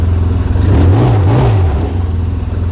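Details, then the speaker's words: Wildcat 700 side-by-side, closed-loop EFI, 1654 hours, cold engine at first service: short smooth throttle blip rising and falling cleanly with no rattle or misfire; normal cold revving, quiet exhaust. "because the engine's cold it's running on the map which is why it gives you a little bit of a h"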